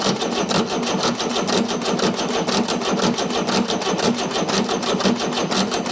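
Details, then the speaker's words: Chrysler (Mitsubishi 6DS70) marine diesel that sat for years in a barn, cranking with a fast, even clatter and no firing. Only drips of fuel are at injector five and none at injector six, which is suspected to be why it will not start. "getting some drips on five nothing major regular and nothing on six yet"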